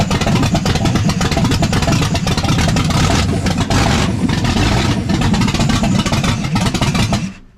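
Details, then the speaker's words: Ford F150 with a freshly built 347 stroker V8 on its first fire, no mid pipes or driveshafts, coolant partly filled: loud, deep rumble with even firing and quick throttle blips through open exhaust, no knocks or misses. Normal, healthy running. "There it is, boys. She's noisy. Still got a long way to go. No mid pipes, no drive shafts. But sounds healthy."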